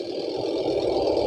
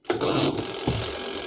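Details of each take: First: Panasonic twin-tub washing machine: a smooth, fast, even whirr that builds slightly and holds steady, with no rubbing or labouring; normal spin. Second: Panasonic twin-tub washing machine spin-dryer tub before repair: motor hums and labours with an uneven rumble and loose rattling, spinning slowly and never reaching speed, sometimes working, sometimes not; weak motor capacitor, later replaced.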